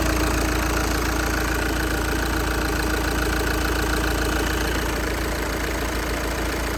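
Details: Audi A5 2.0 TDI diesel, around 230k miles, original turbo never replaced, at idle: steady diesel idle with a coarse, uneven rattle about three times a second; failed turbocharger.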